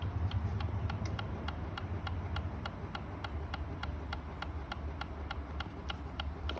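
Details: 2016 Kawasaki Ninja 300 ABS failing to start on a dead battery: steady rapid clicking, about three to four clicks a second.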